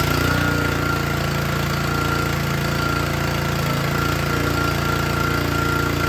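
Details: Troy-Bilt log splitter with a small Honda engine driving the hydraulic pump, run under load to check fittings for leaks: steady, even beat with no misfire, surging or knock. Runs healthy.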